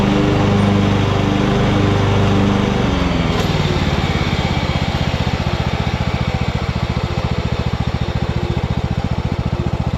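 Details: 2014 Ariens (Husqvarna) 42-inch-cut riding mower, revived from scrapyard parts machine, cutting grass under load: steady even beat about 3.5 pulses a second, no misses or knocks; healthy, only needs a couple of small things.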